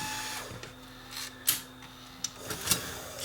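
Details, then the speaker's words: Aiwa M110 multi-system converting VCR: tape loads but take-up spool won't turn or retract tape; reel turned by hand gives quiet irregular sharp clicks, ratcheting as if reel lock still engaged; suspected bad clutch or mode switch under gear. "but it seemed like the real lock was still on because when i when i turned it by hand you can hear it ratcheting listen see it was like the uh"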